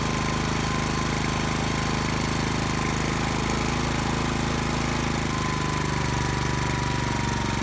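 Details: Brand-new Subaru Robin SP-170 5.7HP engine, first start ever on a stand, 10W-30 oil: fast, even single-cylinder chatter with a steady beat, no misses or knocks; healthy.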